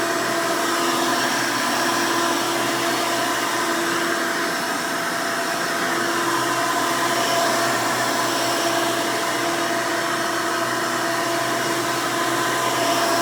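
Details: 1992 Hoover Elite II Total System Performance 650 upright vacuum (U4689-910, square hood, on-board flexible hose), motor untouched since purchase, running: loud, steady rushing roar with even hum, no rattles or surging; healthy motor running smoothly.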